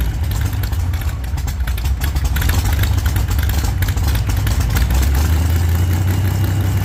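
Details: 1948 Chevy Fleetline small-block Chevy V8 with 4-speed, open headers, first start after sitting, primed heavily so running rich: loud lumpy idle with deep uneven throb and small throttle blips; healthy normal idle, owner thinks the motor is fixed.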